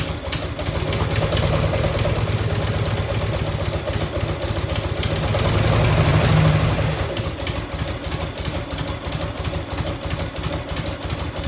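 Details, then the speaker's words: 1990 Harley-Davidson FLHTC Evo V-twin at cold, choked idle, lumpy and swelling: quick light ticking about three a second from a small exhaust leak at the crooked header clamp; owner plans to loosen, retighten or shim it. "you can see the clamp is a little crooked a little crooked on there i gotta loosen that off try to get a little tighter i might have to shim it a little bit"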